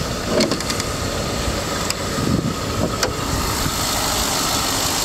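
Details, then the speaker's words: 2011 Ford F-150 XLT 4x4, 5.0-litre V8, 38,510 km, starts quickly and idles with a steady, even low rumble, no knocks or ticks; sounds well maintained. Seller reports an occasional catalytic converter code. Finding: normal idle. "five liter engine you hear it running well i think the truck's been maintained well by sounds of it"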